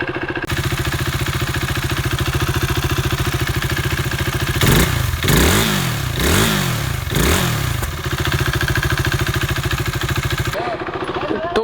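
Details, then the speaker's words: KTM Duke 390 after cam chain tensioner replacement (fuel pump also cleaned): single-cylinder idles evenly and revs cleanly in three blips, earlier engine noise gone, no rattle or ticking. "है जी कि आवाज़ गाड़ी का चला गया है. It is all good now. In fact पहले थोड़ा बहुत आवाज़ आता था, अभी तो उतना भी नहीं आ रहा है."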